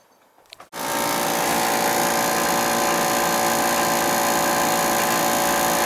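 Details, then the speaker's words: Oil furnace power venter on a Beckett burner, last serviced about 3 years ago: loud steady motor drone with buzzy rattle pulsing about three times a second, vibration from a damaged fan blade. "Definitely making some noise there. We're gonna go check out why. Got a vibration. Up in that power venter."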